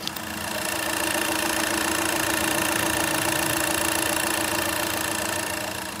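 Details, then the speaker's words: VW Polo after repair of two faulty injectors; steady, even clatter at idle about three and a half beats a second, no stumble or miss, a little smoke remaining; normal smooth idle. "Sound आप देख सकते हैं गाड़ी का बिल्कुल Sumo है कोई problem नहीं है इसमें"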